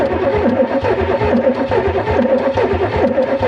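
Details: Donor 1989 Chevrolet Camaro IROC-Z cranks in a steady rhythm but never catches: a crank, no-start. During ignition diagnosis, spark and ECM pulses are being checked; cause unconfirmed.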